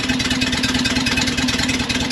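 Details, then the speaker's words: Porsche 912 at idle after botched shop work, heard at the tailpipe after the brand-new muffler: steady, even exhaust pulsing, real combustion sounding proper, unlike the high-pitched tick of suspected exhaust leaks at poorly fitted J-tubes/muffler gasket. "That's real combustion. That's after the muffler and it sounds proper. It's not like a high pitch turquoise like down here."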